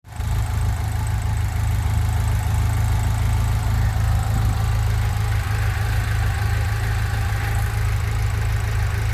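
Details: 1997 BMW E36 318ti (M44B19 four-cylinder) rough idle: deep, uneven throb wavering about three times a second, despite new injectors, coil, plugs, sensors, hoses, mounts and no vacuum leaks found.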